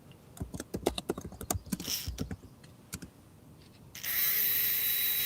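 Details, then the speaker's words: 1960s McGregor smoking toy, small motor, after repairing corroded battery box: following fiddling clicks it settles into steady high buzz with even tone, before oiling with sewing machine oil to quiet it; runs normally after repair. "Yeah. And it'll be a little quieter when I put a little uh I'll put a little uh sewing machine oil on it here."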